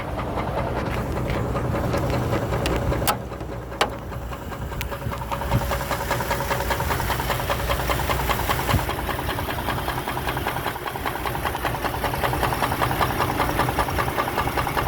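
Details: Chevrolet Trailblazer petrol engine idling with a loose, irregular knock over the steady engine sound; codes P1345 cam/crank correlation, P0300 random misfire, P0014 exhaust cam over-advanced bank 1; cause suspected, not confirmed.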